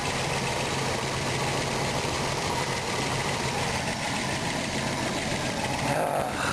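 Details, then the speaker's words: RV engine after distributor swap, timing still off: rough steady idle with faint fast ticking; owner suspects the distributor bearing failed, tick source unclear. "one definitely go on with it distributor either the bearing went on it or something"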